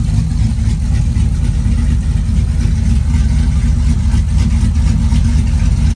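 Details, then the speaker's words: Cammed V8 (HPT cam) just fitted with BES Racing heads milled 0.020 in, headers, intake not yet on; deep steady lumpy idle with low even beat, no knocks or ticks; normal idle. "Having the heads milled 20 thousandths, but she sounds good. Running really smooth."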